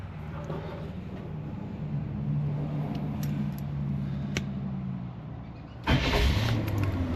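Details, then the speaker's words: 1985 Allegro RV with GM 454 big block and Quadrajet, right after a starter replacement; steady, even cranking churn of about four turns a second, then catches and fires at once: normal crank and start. "boom just like that that's what we wanted to see right there it's exactly what we wanted"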